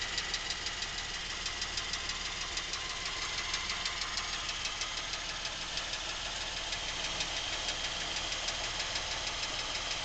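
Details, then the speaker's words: Lincoln MKX with 7,000 miles, knocking since new and getting worse; idle with sharp regular tick-knock about three per second from back of the motor, not the cam phaser/chain area; dealer could not hear it, cause unknown. "Now, the noises seem to be coming generally from this area of the motor, which is the back of the motor. The cam phasers and chains are in a different area."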